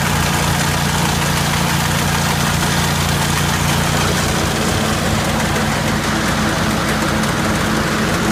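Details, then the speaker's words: 1980 Jacobsen Turfcat 60-inch mower: loose, irregular clatter over a steady small-engine drone as the PTO shaft bounces around in housings missing their bushings, which has worn the shaft end; new bushings to be fitted. "but anyway the issue is if there were no bushings and the shaft the shaft was free to just bounce around that's what all that racket was you can hear in the video"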